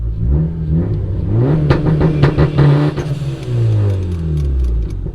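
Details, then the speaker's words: Turbocharged Honda Accord on its 2-step launch control revs and bounces off the limiter with loose clattering and an odd whirring note; owner unsure what the weird noise was. "i don't know what that noise was that sounded kind of weird"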